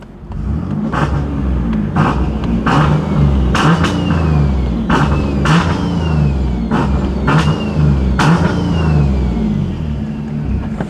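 Engine blips up and falls back cleanly several times, crisp smooth rise and drop with no puffing or ticking. Healthy exhaust sound.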